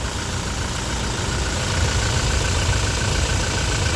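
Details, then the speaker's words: Toyota Hilux 2018 with 2GD 2400 cc diesel, idling just after starting: steady, even diesel clatter with no misses or knocks; engine very responsive and smooth, normal healthy idle. "Ya pemirsa sangat responsif mesin sangat halus rata"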